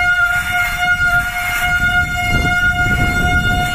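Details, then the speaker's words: Mountain bike disc brake under light, held or slightly increasing pressure after cleaning the rotor: steady piercing squeal near 700 Hz with shrill overtones, changing pitch and fading as the brake heats up during bedding-in. "So, I'm going to apply light pressure to the brakes. And you can see it's squealing, but you're going to keep holding that pressure, if not increasing it slightly."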